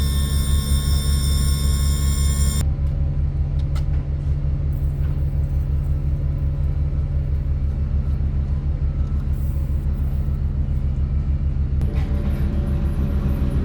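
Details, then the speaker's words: Yamaha F300 outboard on a Grady-White 307, cold day around 42 degrees, after trim seal replacement, manual release closed and trimming up: the pump whines, then labours into an uneven low rumble; air in the trim hydraulics. "Alright, so now I'm going to turn that manual release back shut and trim it up. Definitely air in it right now."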